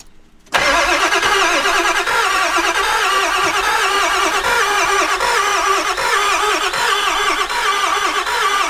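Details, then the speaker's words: Ford E350 van, 7.3 Powerstroke turbo diesel 4x4, sat years on five-year-old fuel, had blow-by: cranks steadily without firing, uneven cranking beat; one cylinder suspected low compression. "there's a depression here that means that like probably one cylinder has low compression"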